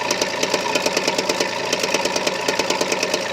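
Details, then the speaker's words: Carbureted 6-cylinder 4WD pickup after long idling in about 23°F cold, losing oil: exhaust pulses on one bank uneven at idle with gaps and soft puffs; one cylinder missing, unconfirmed. "Now look, that goopy sound's gone, but not firing completely correctly exhaust is between 3 different cylinders because it's a 6-cylinder with a split. You hear it?"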